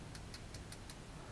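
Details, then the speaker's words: Stock tuner from a Fretwire guitar kit, shaken by hand: quick dry clicks about five a second as loose internal gears rattle in the housing; all the kit tuners do it, so they are being replaced. "you the gears are super loose inside you can see if I take you could if I shake it you can hear everything rattling around inside here"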